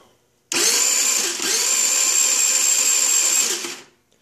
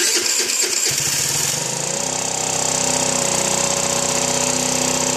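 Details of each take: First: Chinese 49cc scooter that won't start: fast, high starter whirr for about three seconds, no firing; fuel present but no spark at plug, caused by failed CDI box. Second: Chinese 49cc scooter, after a no-start was fixed by replacing the CDI box: the starter whirrs, the engine catches and settles into a steady, buzzy idle at about four beats a second. Normal start and idle.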